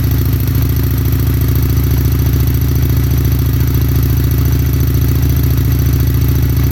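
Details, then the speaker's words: Fuel-injected stock motorcycle with about 637 miles, idling after spring start-up following winter storage: strong, even low-pitched idle pulsing about three and a half times a second, no knocks or misses; healthy. "okay like I said this one's all good ready to go"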